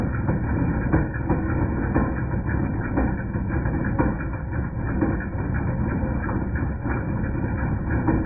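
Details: 2010 Jeep Patriot Sport 2.0 at steady idle: irregular metallic clanks about once a second from belt-driven accessories; persisted after new power steering pump, pulleys, tensioner and belt; alternator replaced, noise gone.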